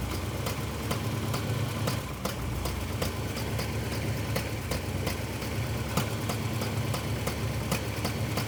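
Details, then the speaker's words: Engine with long-running backfiring, new distributor; a vacuum line found missing: uneven idle with sharp irregular ticks over low rumble; ignition timing still too far advanced. "[Music] okay still too far ahead there we go okay okay shut it off"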